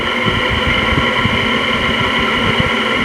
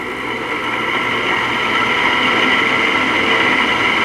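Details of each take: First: Free LG 5,000 BTU window air conditioner after cleaning: loud steady fan whoosh with constant hum and soft throb, running evenly; much quieter than before cleaning and quieter still once warmed up. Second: LG 5,000 BTU window air conditioner running: a loud, steady, dry metallic whirring and rasping rides over the fan. The fan motor bearings are dry and stay noisy even after lithium grease was applied to the shaft.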